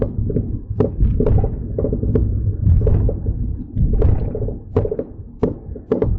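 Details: Mercedes-Benz C300 on a test drive just after front-end work (CV axles, wheel bearings, front brakes), microphone in the back seat: irregular hollow clunks and knocks, a few per second, from the rear over road rumble; something loose, cause not yet found.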